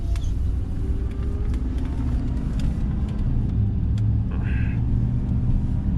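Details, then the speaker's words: 2002 Chevrolet pickup on a test drive after rear axle replacement: a steady low road rumble with no grinding, unlike the old axle. Audible noise is from front tires chopped by loose front-end components. "so this you can tell this uh this one's far better than the other one already because it doesn't sound like a bunch of rocks inside a dryer"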